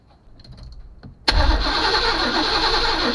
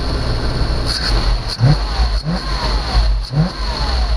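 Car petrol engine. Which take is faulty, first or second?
first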